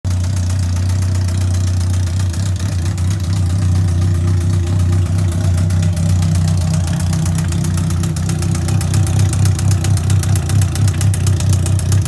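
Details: 2003 Yamaha R1, 31k miles, push-started in 2nd gear due to bad starter: sharp, fairly regular knocking near four per second over a rough idle from the top end, louder with throttle; owner suspects engine needs a rebuild.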